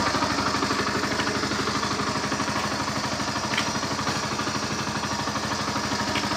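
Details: NS160 motorcycle engine at idle: even, quick putter of about three beats a second with a light mechanical clatter, holding steady; sounds like a healthy running engine.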